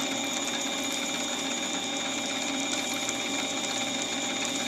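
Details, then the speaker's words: Reground drill bit cutting a 9mm bullet point-forming swaging die in steel: steady even drilling hum with light high-pitched ticking, thin chips peeling cleanly, one side cutting slightly more than the other. "how nice that's peeling them out? Now, it's not perfect. One side is cutting a little more than the other."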